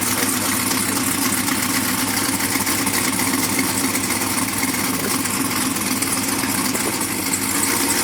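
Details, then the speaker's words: Brand-new supercharged GM LT4 V8 with CVF pulley kit, swapped into a 1971 Chevy Chevelle convertible with new exhaust: a loud, steady, even idle burble with a rough exhaust edge, no knocks or misses. Normal, healthy idle. "That sounds so good. Huh? That sounds so good."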